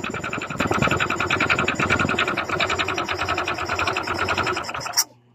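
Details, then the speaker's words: Honda Click 125 fi scooter running with the CVT drive removed, listening at the top of the engine: fast, loud, heavy metallic knocking persists, so the noise is inside the engine; worn connecting rod. "Dito sa itaas, pakinggan natin. So meron din dito guys, no? Malakas din ang kanyang ingay ng kanyang makina, ugong, no?"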